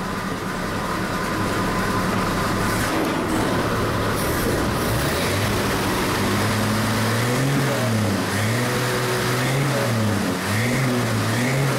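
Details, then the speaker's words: Vehicle first start after exhaust/tailpipe welding: deep steady exhaust drone rising and falling with light throttle blips, no rasp, puffing or ticking; exhaust sounds sealed and healthy. "hope the camera does it justice hope that sounds good for you guys sounds good"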